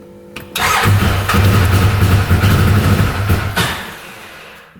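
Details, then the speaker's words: 2013 Arctic Cat Wildcat 1000cc UTV, no idle, cuts out without throttle, no power, bogging, slight smoke: runs with an uneven, lopsided low thump, half the beats, then dies; running on one cylinder, one exhaust pipe cold. "let's try certain it up one more time we'll try listening to the engine see what's going on almost sounds like it's running on one"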